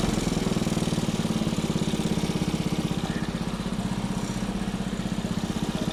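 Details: Small single-cylinder engine salvaged from a junk go-kart, running after carburetor cleaning and a point-gap adjustment: quick, even popping at a steady pace with no misses or knocks. The engine runs clean and healthy.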